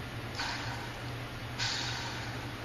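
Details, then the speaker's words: Idler pulley on a Mazda 2.5L V6 KL-DE (626/MX-6/Millenia/Probe), during a timing belt and water pump job, spun twice by hand; a dry, sandy, gritty rasp from a rough bearing, worth replacing. "That sounds kind of gritty. Could probably stand to replace that one."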